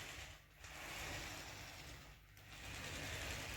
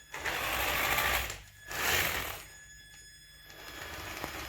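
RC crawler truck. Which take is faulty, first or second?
second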